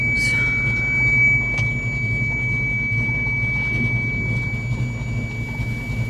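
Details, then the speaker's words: Steady high-pitched warning beep over the truck's low idle, occurring only after the truck is shut off and restarted; cause unknown, the offending wire not yet found. "I'm sure you guys can probably hear the annoying beeping noise that this truck makes it only happens if you shut it off and then start it again"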